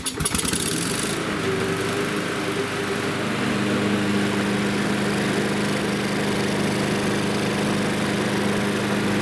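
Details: Lawn mower after bending the auto-choke arm back away from the carburetor so the butterfly closes: fires on the first pull and settles into a smooth, steady buzz without surging or stumbling; runs normally.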